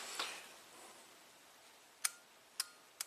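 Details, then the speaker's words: Chrysler Crossfire with a crank/no-start and the TCM, ABS and shifter offline: a test light energizes the relay module and the engine control relay gives sharp clicks, but the traction system relay stays silent; its coil is open or its circuit is faulty. "Just the middle relay there. That would be the engine control relay, but the traction system relay is not clicking. That's a problem."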